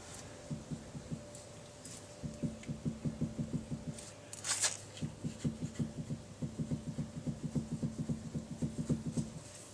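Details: Sedan with a long-standing rear thud, unchanged after BC coilovers: soft repeated knocks as the rear wheel is rocked, slight play felt; owner suspects rear control arm bushings, not wheel bearing.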